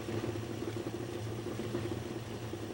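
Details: 1941 Chevy truck, 350ci small-block V8, first start after Accusump install with cylinder bled to about 10 psi air, oil pressure building: soft steady low idle rumble, even beat, no knocking or ticking; normal idle.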